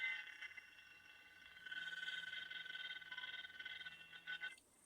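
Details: MSI GE60 laptop, about 3 years old: quiet steady high-pitched whine with low buzzing hum that cuts out at the end; cooling fan failed and was replaced.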